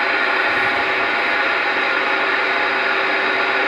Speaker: hear that hissing noise I got the talling all the way down the White Noise the noise floor has been improved on this radio